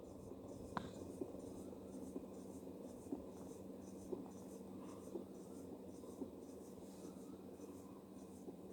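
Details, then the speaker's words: Kenmore 100 Series HE washer slowing down after spin: low hum with a faint gritty salt-shaker rattle and light tap about once a second; new suspension rods fitted, agitator checked, cause still unknown. "and if you listen there's a light it sounds like a salt shaker noise right now it's really light"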